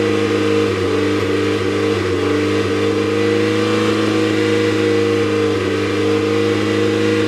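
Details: Mazda MX-5 engine; steady hum rising and falling with revs, broken by small uneven stumbles in the beat; engine misfire.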